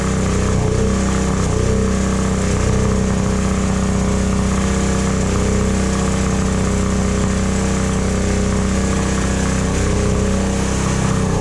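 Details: Predator 9000 generator single-cylinder engine after replacing a bent valve and pushrod, choke on, after reassembly: catches and settles into a steady, even chug with no knocking or misfire; healthy running.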